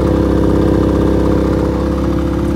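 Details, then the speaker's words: Brand-new Generac iQ3500 generator, about two hours old, dead on arrival producing no power; owner says it runs really rich, economy mode off. Idle has an uneven, lumpy pulse and wavering hum: rough running, cause unconfirmed. "see it's not producing any balls but you'd expect there because it's not running properly"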